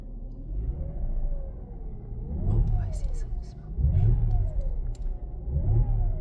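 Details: Mercedes E350 3.5 V6 after an engine rebuild for knocking and scored cylinders: three clean, smooth rising and falling rev blips, no knocks, misses or smoke; engine healthy.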